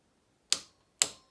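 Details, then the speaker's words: Honda Z50 Monkey top-end gasket rebuild, cylinder head nuts: two crisp clicks about half a second apart as the torque wrench breaks over at set torque spec; to be rechecked after engine warms. "yeah hear that click there so that's the torqued that that's telling you that it's torqued to exactly where you want it"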